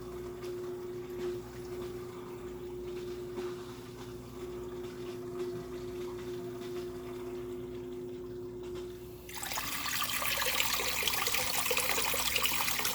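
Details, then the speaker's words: Aquatop CF500UV canister filter on mbuna tank, after fixing a very slow return involving the impeller: steady motor hum, then strong, even water rush as it refills, air still cycling through; good return flow restored. "Alright, now that's the flow we're looking for right there. Not what you saw earlier in the video. This is a good flow."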